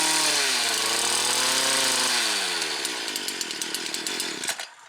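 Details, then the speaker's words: Stihl Kombi KM 56 RC two-stroke, test run after a spark arrester service to fix bogging at full revs, not yet warmed up. High buzzy revs waver, then sputter unevenly as they wind down: still somewhat rough running, though much improved. "As I said, still sounds a little bit sick, but it's definitely a big improvement, and certainly makes it usable now."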